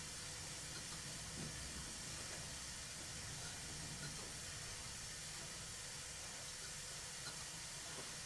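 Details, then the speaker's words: Stuart Twin Victoria miniature steam engine after rebuild, running on reduced steam pressure on bubble wrap, hence quiet: soft hiss with faint, widely spaced exhaust puffs, turning very slowly and evenly; valve timing is good, slight unevenness expected to improve with running. "the engine is running very quietly but that's because it's sat on some bubble wrap on the bench which stops my workbench being a soundboard"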